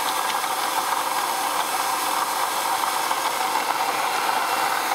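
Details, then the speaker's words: 2004 Ford Taurus, engine otherwise runs fine: steady raspy grinding over idle with no rhythm, seemingly from an accessory pulley near the AC compressor; owner unsure whether AC compressor or power steering. "basically is uh making some weird grinding noise or something"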